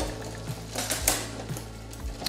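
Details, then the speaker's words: Shimano Tiagra 10-speed road bike drivetrain, front derailleur trimmed, chain in the lowest gear: quiet freewheel ticking and soft chain clicks, no rubbing against the front derailleur cage. "so no rubbing right here silence the high the lowest gear so we are climbing now we are climbing now but then going down the cassette"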